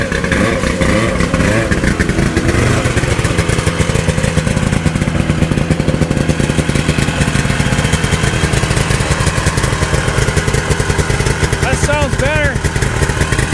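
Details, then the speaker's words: 1972 Ski-Doo Nordic 440 two-stroke snowmobile after full engine rebuild, new plugs and carb adjustments, running ragged and lumpy with wavering revs; starving for fuel. "the test drive didn't go too well like it was starving for fuel right right"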